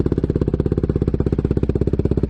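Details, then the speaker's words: KTM Duke single-cylinder started first time after six months stored, battery charged overnight, tank nearly full: steady, even deep thump around twelve beats a second with no misses; healthy idle while warming up. "Ce bruit, mon seigneur, ça m'avait vraiment manqué. Le monocylindre qui pète à tout va."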